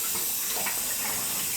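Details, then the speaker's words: Gas hot-water boiler zones being purged after a pipe repair with couplings: steady hiss of water rushing with air through the pipes, no knocking or banging. Normal zone purge. "Right now we're purging."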